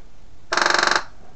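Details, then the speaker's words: 1988 Suzuki Vitara 1600, replacement electric fuel pump bench-tested on 12.3 V ignition feed: half-second burst of fast even buzzing clicks, about twenty-five a second; pump works normally. "yes the pump works so let me turn that off I'll plug that in there so now we know that the pump will work when I switch it on"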